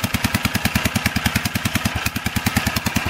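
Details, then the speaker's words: 1947 brass-tag Gravely tractor first start after repairs (magneto cleaned for spark, new paper gasket, fuel line fitted; cracked exhaust manifold): crisp, even single-cylinder firing about 200 beats a minute, no misses; running healthy. "Hopefully it's getting gas. Yep. Close. Yeah, getting there. Not bad."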